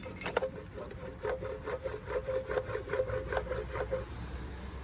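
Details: Chevrolet Trailblazer SS wheel hub, removed and turned by hand: dry, gritty rasping pulsing about twice a second from a worn wheel bearing, replaced with a Timken hub, part 513-188.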